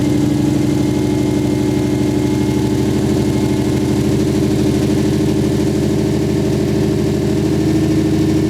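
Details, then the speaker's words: Misfire at idle on a 1JZ VVTi swapped into a 240SX: six-cylinder idle with a lumpy, uneven beat and a recurring dropped pulse from a dead cylinder, traced to an injector connector not seating properly; coils pulled during diagnosis. "use we're gonna pull the coils club acts out stop it that made a really funny sound man when things make funny sounds it means they're usually not dying as planned"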